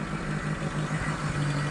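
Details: Chevrolet Aveo before repair, complaint of idle RPM rising and falling, shaking, stalling when slowing; scan showed heated oxygen sensor circuit high voltage error: low idle hum pulsing and breaking rhythm; rough idle.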